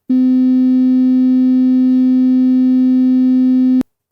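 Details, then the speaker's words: Loudspeaker on production-line test, borderline unit: steady low tone near 256 Hz with harsh buzzy edge and fizzy overtones; measurable perceptual rub and buzz, less than the bad speaker; loudspeaker rub and buzz. "now for the borderline speaker it does have measurable perceptual rub and buzz but not as bad as the bad speaker"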